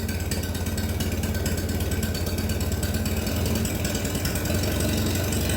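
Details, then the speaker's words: Minneapolis Moline BF tractor after in-frame engine rebuild, running without exhaust: open, loud, steady chuffing idle about three beats a second, no knocks or misses; normal idle. "so that's what she sounds like without the exhaust and idle without the"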